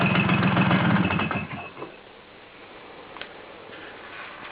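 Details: Vespa T5 scooter at idle: rattly metallic chatter over buzzy idle dies away within two seconds as the clutch is pulled in; metallic noise that stops with clutch disengaged.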